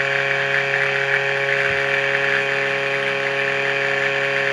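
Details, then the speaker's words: Cifer 2486 Intelligent Terminal, unused since 1982, first power-up: loud steady whir over a constant hum at the same pitch; loud whirring noise, owner suspects the rear fan needs attention; no smoke. "That noise is sounds like the rear fan. There, how was that? That scared me. I think that's the rear fan on it."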